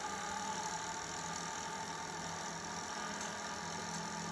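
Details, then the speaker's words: 1980 Sony SL-5800 Betamax Time Commander, dormant for years, before cleaning: steady even whirring hum with faint high whine during rewind; rewind works normally (fast forward did not). "all right rewind is working"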